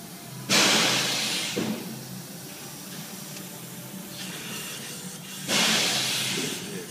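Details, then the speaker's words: 6.0 Powerstroke diesel with P0401 EGR flow code, with escaping air hissing from a boost leak low on the engine under pressurized intake; the hiss otherwise appears only under very hard acceleration and hard boost. "I can I can hear the leak got it down [Music] here and as you can see I can feel it right there"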